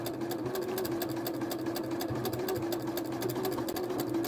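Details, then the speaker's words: Janome sewing machine with Even Feed walking foot, straight stitch length 2.4; steady motor hum with even ticking about five or six per second from the walking foot's action, normal. "and that sound that kind of clicking sound is the feet the movement of the feet the action of the feet so it doesn't mean there's anything wrong with it or anything like that okay"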